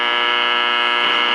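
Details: 1946 Val-Keen/Detrola Model 572 six-tube radio with power transformer, after replacing old paper capacitors and resistors. A loud, harsh, steady rasping buzz covers the output throughout; electrical buzz of unknown origin, possibly power-line interference.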